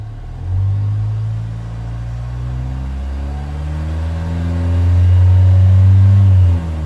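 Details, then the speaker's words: 2015 Vauxhall Vivaro 1.6 CDTi diesel that cuts out sharply at about 2500 rpm cold and 3000 rpm hot, whether stationary or driving: revs climb steadily, then drop abruptly as it shuts off; airflow problem suspected. "And as you've seen, shut off. You haven't seen anything happening there, but I'm very, very convinced now that this might be an airflow problem."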